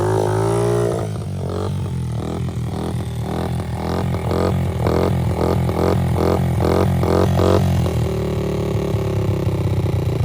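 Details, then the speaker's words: 2003 Honda TRX90 ATV after full rebuild, with Big Gun Evo exhaust, at first test ride: low steady single-cylinder putter, even idle with no knocks or misses; normal idle. "she's sitting here idling sounds good seems to be running pretty healthy"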